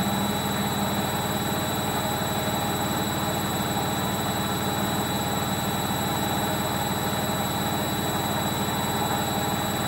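A steady heavy roar with a fast rumbling beat through the whole spin, typical of worn drum bearings on a washer.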